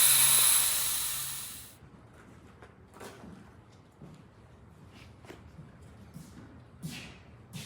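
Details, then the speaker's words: Wanderlodge bus with Detroit 6V92TA diesel: loud steady air hiss cut off after about 1.5 seconds, then faint clicks; air leaking at the brake valve. "the shutdown solenoid this brickhouse is leaking too you couldn't hear that one because the other one was leaking"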